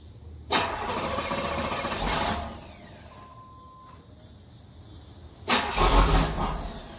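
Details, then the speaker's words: 1992 Chevrolet Camaro Z28 with intermittent hard start, stalling and rough idle: two cranking bursts of a couple of seconds each, engine never catches; hard start, cause not yet found. "As you can see here, it won't start consistently. It tries to, but it just doesn't want to catch."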